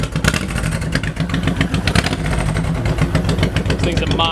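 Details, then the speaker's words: 2008 Honda VTX 1800F with 3,987 miles, just started: deep loping V-twin idle, about four pulses a second, settling without misses or mechanical clatter; sounds great, normal idle. "Go ahead and start it up. Low miles, 3987. 3987. Sounds great."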